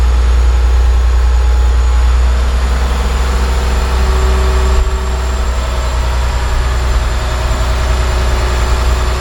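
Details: John Deere 850J dozer diesel after second rebuild, run outside: deep, even idle with steady low rumble, no knocks or misses; no leaks, all normal.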